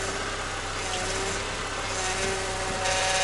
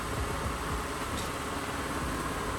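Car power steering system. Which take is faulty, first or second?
first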